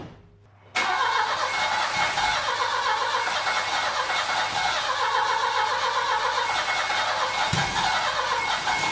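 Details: Saab 900 Classic, first start after years of sitting, following a Zenith/Stromberg CD175 carburetor rebuild, fuel tank cleaning and float bowl pre-fill: the engine runs loud, ragged and uneven with dips in the note. It is smoky, and the owner suspects the timing.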